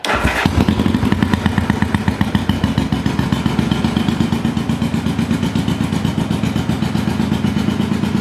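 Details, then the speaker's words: 1974 Honda CB500T cafe racer: fires right up, then idles with lumpy uneven thuds, hard time staying running; rough running, owner suspects carbs need rebuild kit and synchronizing. "it runs but it has a hard time staying running and it's a little bit rough"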